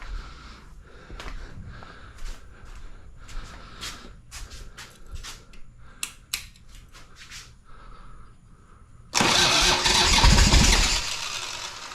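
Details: 1985 Harley-Davidson Sportster Ironhead V-twin, sat outside a long time, first start attempt after oil added: steady cranking about 220 beats a minute for nine seconds, then a short loud catch that dies away; long crank, no start yet.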